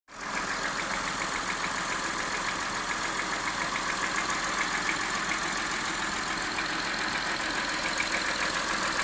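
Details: Gen 1 Honda Ridgeline V6 petrol engine idling half-warm with a light, steady knock of about three to four taps a second; owner says it is louder and much clearer when cold.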